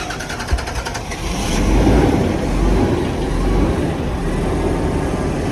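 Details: Bus 1017 diesel engine catches, then runs unevenly with a lumpy, loping beat instead of a smooth drone; an engine misfire.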